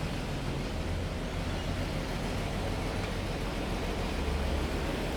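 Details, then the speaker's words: Ford XG Falcon ute petrol engine after topping up power steering fluid: steady even idle, and the earlier whine from the engine is gone. The car previously rattled, with a suspected broken engine mount. "it's not winding from the engine anymore because we've got power steering fluid"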